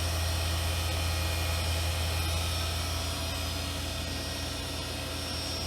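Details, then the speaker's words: New 2016 Haas VF2 CNC vertical machining center, spindle at 5000 RPM (max 8500), recorded close-up through side door: steady high-speed hum with smooth whir and airy hiss, no knocks or grinding; normal. "Alright, now I'm going to set the spindle up to 5000 RPM and then we'll go to the max of 8500. Spindle is now on at 5000 RPM."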